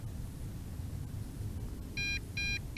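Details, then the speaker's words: MJX Bugs 3 Pro GPS drone: three short high-pitched beeps about 0.4 s apart signal the first phase of low-voltage return-to-home, triggered quickly after the 1 km distance failsafe; battery indicator showing two bars. "now the first phase of low voltage return to home kicked in wow that was pretty fast"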